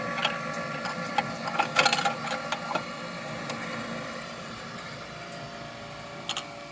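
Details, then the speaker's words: Met One E-SEQ-FRM sequential air sampler, filter transport after pausing the sample: light mechanical clicks and faint motor whir as the turntable indexes round to deliver the filter, no grinding or binding; transport rotation normal. "Wait for move to complete. This should rotate. We should be able to get our filter."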